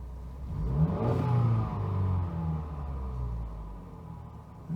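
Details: Wrecked 2017 Cadillac ATS, first fire-up, airbag warning showing: the engine climbs and falls smoothly through a quick rev, building a little boost, with no knocks, misses or rattles; sounds healthy.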